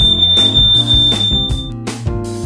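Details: Smoke alarm test button pushed for the monthly test: a loud, steady high-pitched tone holds almost two seconds over music, then cuts off, showing the alarm works properly.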